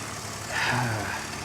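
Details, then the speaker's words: BMW Z4 3.0 six-cylinder, one-owner car with recent new Bilstein struts: soft, even idle with a smooth low hum, no knocks or misses; runs great, normal idle. "This car has been taken such good care of, guys. You can hear by the way it runs. It runs great."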